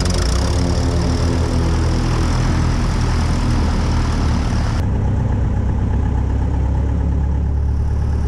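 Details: Aviat Husky aircraft engine rebuilt after being under water, on its second run after the overhaul: deep, steady roar with an even rhythm, no stumbling or surging. Normal engine run.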